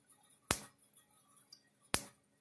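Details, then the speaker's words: Gallagher Solar S50/S20 fence charger after board repair, powered from about 12.7 V on the bench: sharp single spark snaps about 1.4 seconds apart in near silence, firing cleanly as it should. "See, it does a nice little spark to it."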